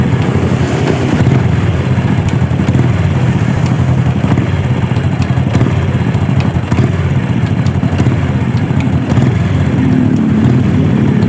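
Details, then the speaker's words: Supra motorcycle, single-cylinder engine, revving then letting off throttle: faint irregular "tak tak tak" ticks as revs fall from the right-side crankcase; cause suspected in the clutch area, not confirmed. "uh ya saat kita gas nih ya dia akan ada suara saat turun RPM saat kita turunkan gas di ada suara tak tak tak bisa teman-teman dengarkan nih"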